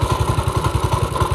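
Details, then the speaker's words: Small single-cylinder engine, long parked and with the oil unchecked, that started with just fresh fuel and starter fluid: even thumping at about ten beats a second with no misses or knocks. Normal idle. "But wow, that literally was all it needed, some fuel and some starter fluid."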